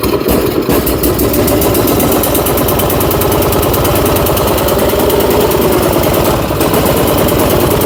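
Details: Troy-Bilt Storm 2410 snowblower salvaged from the dump, just after fitting a new replacement carburetor: keeps running on a quick, uneven chuff with a loose rattly edge; runs a little better, old carburetor was faulty.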